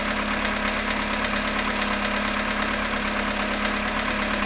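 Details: VW Polo sedan, 18,618 km, at -5.5°C after standing 18 hours: cold idle with a hard, fairly regular ticking knock, about 105 a minute; engine knock present, cause unknown.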